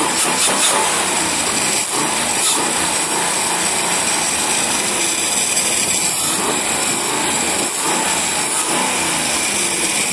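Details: Marlin Roadster engine idling and blipping the throttle with no whining tone, after a disconnected pipe that caused the whine was fixed.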